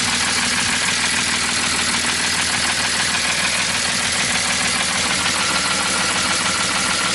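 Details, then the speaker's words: BMW E46 M54 engine at idle after donuts, oil pump drive nut fell off: loud busy idle with fast clattering top-end tick, extra oil did not help; no oil pressure noise. "it just sounded like awful just like the loudest [ __ ] lift or taking the planet and we checked it out we couldn't figure anything out we put more oil in it like way too much oil but it still didn't fix [ __ ] there was no oil"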